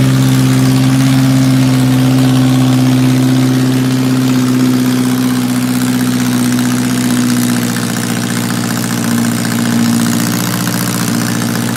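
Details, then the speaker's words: 1978 MG with swapped 1.6L Mazda Miata engine, newly running, before idle air control valve removal; owner has vacuum leak issues. Low drone with an uneven, wavering beat and drifting pitch; rough running, cause suspected, not confirmed. "she's not perfect yet but she is running that was a huge milestone"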